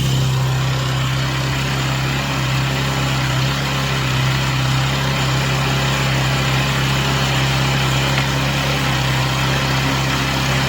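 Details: Chinese Amazon mini bike small single-cylinder engine after first start, running on a table: steady even putter, constant low drone, no misses or knocks; smoke stopped, idling smoothly.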